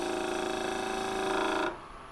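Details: Woodturning a holly bowl blank with a freshly sharpened gouge: a rapid fluttering buzz over the steady cut stops as the gouge lifts. This is chatter from the tool vibrating against the blank.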